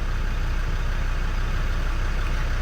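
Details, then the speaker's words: Land Rover Defender TD5 diesel idling warm at 60°C coolant temperature, up from about 30°C, after coolant temp sensor replacement: deep, even rumble with no hunting or surging, running perfectly. "It is now running absolutely sweet as a nut. 60° on the coolant temp. I've had it running for quite a while now. It's come up from like 30 and yeah, it's been idling, as you can hear, perfectly."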